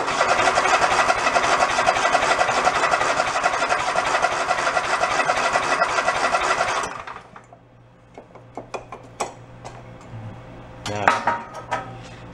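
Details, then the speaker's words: Toro zero-turn mower unused about 10 years, 3/4 tank of fuel: about seven seconds of steady, fast cranking with no firing; fuel isn't reaching the carburettor, no fuel shutoff found yet. "Anything? Nothing. It's got like 3/4 of a tank. I don't see a shutoff."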